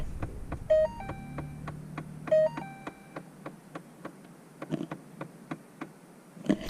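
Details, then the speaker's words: 2012 Ford Fiesta A/C: light, sharp clicking about twice a second from the dash when switching through A/C modes, turning A/C on or off, or first starting the car; a mode door actuator clicking. "that's a clicking noise so what's happening is the it only happens when you turn the a/c on or off that happens when you initially turn the car on as well"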